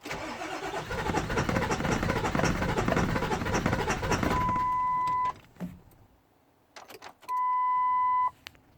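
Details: 7.3 diesel cranks steadily at about three beats a second for four seconds without firing, then chime beeps; crank, no start, cause unknown.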